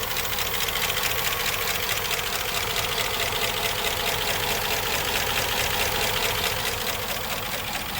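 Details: Nearly 20-year-old Chevrolet 5.3 LS V8 truck that began acting up on the highway: fast, light, fairly even ticking a bit over two per second over the running engine; sounds like valvetrain tick, lifter problem suspected.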